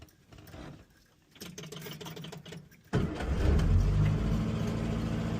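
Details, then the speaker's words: Series 2 positive-earth Morris Minor right after a new ignition coil was fitted (positive lead to distributor, negative to ignition): quiet handling, then it fires on first crank about three seconds in and settles to a steady, even idle; ignition light goes off; healthy start. "Well, sounds good. Yeah. Yep, sounds fine."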